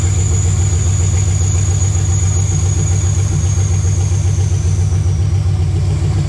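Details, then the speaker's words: Chevelle (1968 per title, '69 as spoken) with an LS swap, first start after finishing the wiring, about 40 psi oil pressure: a deep, even rumble with a steady firing beat and no knocks, ticks or misses. Normal idle. "all right well there it is six nine Chevelle runs finally all that work"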